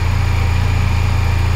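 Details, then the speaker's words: Crashed Honda Silver Wing 600 CVT scooter, revived after over a year in storage: deep steady drone with a gentle even pulse, no knocks or rattles; normal idle. "oh my god it sounds good it sounds good all right now i'm gonna shut down and check the oil again"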